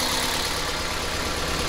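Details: Toyota Opa petrol engine idling with a customer complaint of misfire: slightly uneven, lumpy beat from one cylinder not firing, diagnosed by swapping coils between cylinders.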